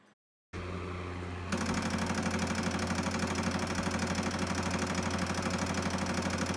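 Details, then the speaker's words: Pioneer CLD-D503 LaserDisc player: steady motor hum with a fast, even rattle about three per second when trying to play a disc; stuck laser sled found as the cause. "all of a sudden started making a weird rattling sound when I went to go play a LaserDisc"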